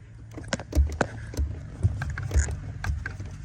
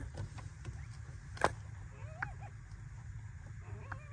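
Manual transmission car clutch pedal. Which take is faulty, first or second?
second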